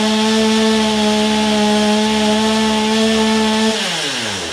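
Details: Old, low-hour Stihl chainsaw, first run with the carburetor primed: a clean, steady high buzz held at full throttle, then a smooth wind-down to idle without sputter. The saw runs fine.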